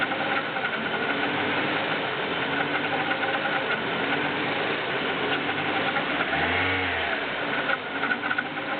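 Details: BMW E36 318is, M44B19 engine, cold start: metallic clatter at idle with rpm hunting between 1000 and 1500; cause unknown.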